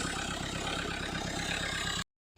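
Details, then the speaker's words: Mahindra Verito D6 with Duster's 1.5 Renault 85PS diesel, black smoke and no acceleration after 15 days parked; after debris cleaned from turbo, turbo spinning properly: even diesel clatter at steady idle, unbroken rhythm before cutting off; healthy. "तो यहाँ से देखो, turbo बिल्कुल ही अच्छी तरह घूम रहा है। अभी इस एंगल से देखो, बराबर घूम रहा"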